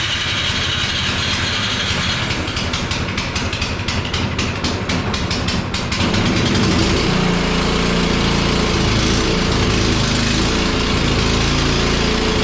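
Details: Cub Cadet 1X snow blower that would not start after storage with undrained gas, now running on fresh gasoline; small engine fires, then runs at a steady even buzz with no surging or misses; normal running.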